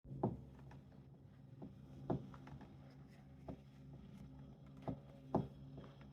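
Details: Tacx Neo bike trainer: faint hum in a quiet room with sharp, uneven knocks roughly every second or two; knocking noise, cause not yet found.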